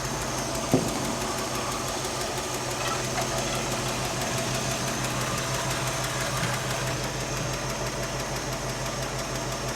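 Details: '67 Mercury Cougar V8 idling steadily with a faint, light tick about three times a second. It comes from a loose rocker arm on one side.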